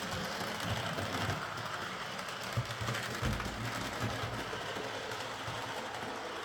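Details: Model locomotive after a wheel setting was reset from 14.7 (which locked the wheels on curves and points) to 14.3, and its bouncing rear pony truck got a stronger spring and a limiting washer: a light, even rattle rolling along with no stutter.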